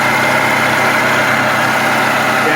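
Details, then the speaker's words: Toyota 2.5L 2AR-FE four-cylinder (Scion tC 2011–2016) at idle: constant whirring, rattly tone over the engine from the water pump below the alternator; worn water pump bearing, to be replaced. "here underneath your alternator is your water pump it's a common noise on these COA products"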